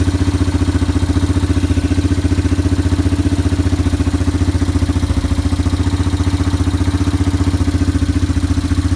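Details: Yamaha ATV (four-wheeler) idling after carburetor cleaning and float adjustment, new air filter being fitted before the air box lid goes on. Even, steady single-cylinder thump at low idle, no misses or hunting: normal idle.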